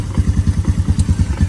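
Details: 2012 Honda Recon ATV with electric shift, sat over six months, idling while the manual gear selector is used: steady low single-cylinder thump at about nine even beats a second, no extra knocks; normal idle.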